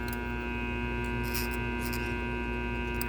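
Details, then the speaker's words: Small armature on a growler tester, razor blade run over it: steady mains hum with fast uneven buzzing rattle felt in the blade at shorted commutator segments; armature otherwise judged good. "let me try another one see if I can get it for really rattle yeah right there so it's wet over there you kind of hear it I can feel it you can feel it in your hand with the blade"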